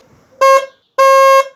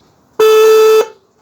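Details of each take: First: Opel Astra G horn after repair, screws refitted following a test with screws removed that gave an ugly sound: two clean loud honks, short then longer, steady even tone; the original sound is back and the horn is healthy. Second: Opel Astra (G) horn, swollen and rusted; the other horn was already cleaned, this one is still faulty before sanding: single thin, flat, mid-pitched blast of about half a second. Weak horn from corrosion.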